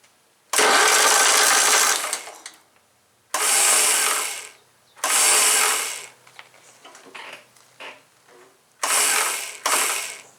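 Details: John Deere STX38, Kohler Command 13 hp engine, after welding a molded-rubber part: several two-second bursts of high free-spinning whir, engine not turning over; starter spins but drive doesn't engage; owner suspects a snapped spring.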